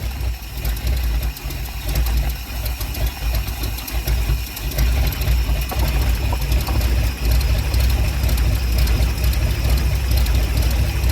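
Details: Ford Sunliner after new starter and carb cleaning, fresh start: uneven idle with sharp puffing tick over the low rumble, louder near the front pipe; really bad exhaust leak, black soot.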